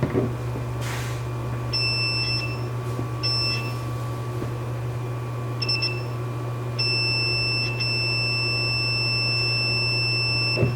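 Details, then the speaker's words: 3rd-gen Toyota 4Runner 4WD switch tested for continuity with multimeter and alligator clips while depressed: high tester beep over low hum cutting in and out in uneven bursts; intermittent switch continuity. "all right if you guys could hear that it was like very intermittent with the continuity through it"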